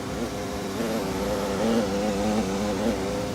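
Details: Gas furnace with breaker-tripping complaint, restarted after checking wiring and restoring power, firing without the five-minute delay: steady low hum with even airflow rush, no hesitation or rattle; running normally.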